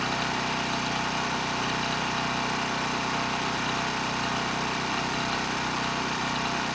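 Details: ETQ 2700-watt generator with brushless powerhead, found not running after years in storage: steady, even drone with no hunting, surging or misses at 100 watts over rated load, near 61 Hz and 118 volts; normal running under full load.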